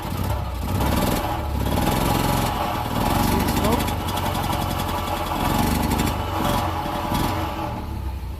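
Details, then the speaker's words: Single-cylinder engine with Pertronix electronic ignition, camera at the exhaust, throttle opened: blips unevenly and flattens out instead of reaching full revs; ignition advancer not working, smokes a little, owner suspects rings not yet seated. "so a couple things it does smoke a little bit but it won't take full throttle here kind of putting out"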